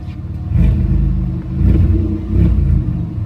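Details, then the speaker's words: GM 3800 V6 being swapped for a supercharged 3800, check-engine light set with random multiple-cylinder misfire codes: choppy, uneven revs rising and falling; rough running with misfire, owner guesses it needs a tune or a module. "I hear that [ __ ] she sounding rough as [ __ ]"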